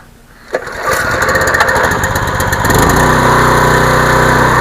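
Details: Generac 2800 PSI gas pressure washer, warm and choked: a sharp pull, then the small engine catches and settles into a steady, even buzz without stumbling. Normal start and run.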